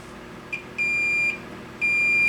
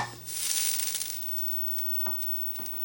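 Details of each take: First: 25-inch K7000 arcade monitor chassis blowing fuses: two steady high continuity beeps across the horizontal output transistor's legs show a dead short; the short goes once the HOT is lifted out of circuit, confirming the HOT failed. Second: 25-inch K7000 arcade monitor chassis after repair of fuse-blowing fault and new flyback: short crackle of static at switch-on, then faint ticks and no popping; normal CRT power-up.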